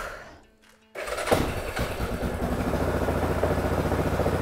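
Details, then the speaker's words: Abandoned Yamaha 660 ATV that sat broken for 6 years, fitted with an aftermarket carburetor, air filter and oil filter: after a quiet moment the engine catches with a thump and settles into a steady putter. It starts and keeps running. "No way. No way. Let's go. Oh my gosh. Hey, it works."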